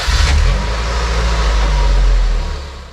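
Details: 2002 Honda Civic ES1 after replacing leaking power steering hose and alternator belt: engine cranks and catches into even low rumble with no belt squeal or chirp, previously squealed badly on start.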